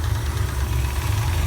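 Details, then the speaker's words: Chevelle idling with the A/C compressor engaged on a roughly 90°F day, heater core bypassed, air only lukewarm: a heavy, lumpy idle with uneven low thumping under compressor load. It runs rough and the cause is not pinned down. "the pressures running yes right now it sounds like crap because she's gone"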